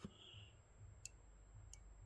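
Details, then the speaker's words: Pinball VUK (vertical up-kicker) switch being checked with the coil not firing: faint crisp single clicks every half to three-quarters of a second as the actuator is pressed, showing the switch closes properly. "Now, I can hit it and the coil will not fire. But if you listen, you can hear that switch clicking. And what you want to do is you want to hear that click."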